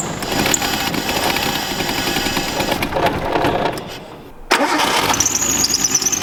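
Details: Imported Nissan R32 Skyline RB25 with a new MaXpeedingRods turbo, first start attempts: the starter churns and the engine catches briefly, then stumbles and dies.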